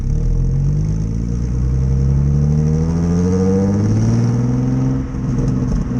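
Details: 2005 Nissan 350Z, VQ35DE V6 with stock exhaust, accelerating while driving; loud, raspy, blatty exhaust note from a big exhaust leak.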